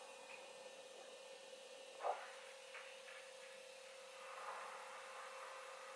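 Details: Ford 6.7 Powerstroke diesel after an oil change and fuel filter replacement, ignition on and engine off before the first start: a faint, steady electric hum as the fuel pump primes the system. Normal fuel pump priming.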